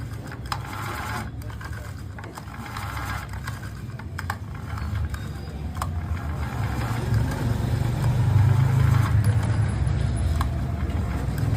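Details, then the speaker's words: Honda GX35 brush cutter, model UAMK435T, customer reports no start, tank full: rapid even whirring on the recoil starter pull with no compression chuff; no compression at all, recoil starter to be checked first. "देखा आपने recoil starter खींचने पर कैसा साउंड आ रहा है। Recoil starter खींचने पर साउंड आ रहा है और कंप्रेसर बिल्कुल भी नहीं है मशीन में।"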